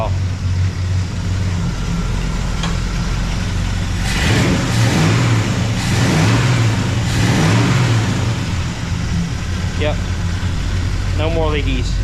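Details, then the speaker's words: V8 truck after repairing broken header tube exhaust leak: revs up cleanly and settles with deep even exhaust note, no ticking or puffing; leak fixed, a body panel rattles. "much better I got a panel rattling back here all right I think I got my exhaust leak just figured out for now it should last me a little while"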